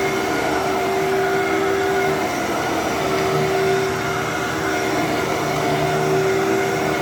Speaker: Wow. Okay. For some reason, I thought that was going to sound way worse than it did than it than it does.